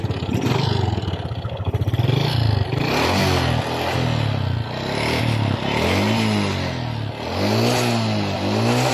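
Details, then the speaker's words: Honda XRM 125 single-cylinder engine, owner reports noise and white exhaust smoke, engine repeatedly ran low or dry of oil: revving with hollow clattering rattle rising with throttle from cylinder block; piston slap. "So ngayon ang p concern talaga Ang ingay lumlabas sa kanyang makina guys ito ay ang tunog piston slaps"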